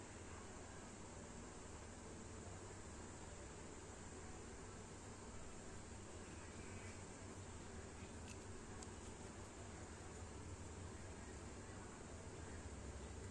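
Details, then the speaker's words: LED headlight cooling fan on a Yamaha XRide-type motorcycle, after cleaning and lubrication of a fan that had grown noisy over years: faint, smooth, even whir with no rattle or scraping; fan now quiet and healthy. "Nah, halus nih. Suara kipasnya jadi halus ya. Udah enggak kedengaran kayak tadi. Berisik. Tuh halus banget suaranya."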